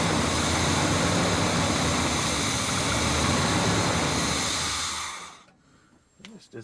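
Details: Classic Chevrolet truck sitting for years, new battery and fresh fuel filter, carbureted, throttle barely cracked: steady starter churn about four beats a second for five seconds, never catching; extended cranking without starting, cause unconfirmed.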